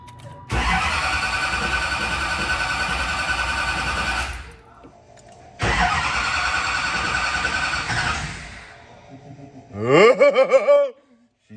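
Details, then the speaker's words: Newly built SoCal Diesel twin-turbo 1,000hp Duramax diesel at first fire-up: two long cranking spells with fast, even churn, turns freely but never catches; owner thought maybe air still in the system; cause unconfirmed. "I don't know how much of this was normal and how much of it was because we had some uh unforeseen circumstances that were going on but uh yeah we sat there clicking that thing over a lot more times"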